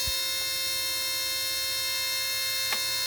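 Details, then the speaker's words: Mercedes SLK230, engine warm after a drive, key on engine off: steady high-pitched electrical buzz/squeal with thin whine from the front, near the bottom of the radiator, not the fan control unit or fan motor; owner suspects a valve or solenoid; began after a shop visit. "I'm getting a kind of a high-pitch screech, or screech isn't the right word, but kind of a squeal or buzz sound from the front."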